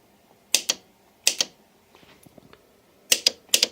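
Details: Starter system troubleshooting with components bypassed per the wiring diagram: four pairs of crisp clicks in a quiet room as the starter button circuit is bridged; the starter relay pulls in and releases properly.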